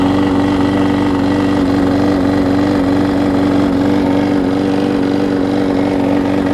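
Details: Husqvarna mower with transplanted engine, started with starter fluid before carburetor replacement: steady, even buzzing at constant speed, no misses or surging; holding speed fine.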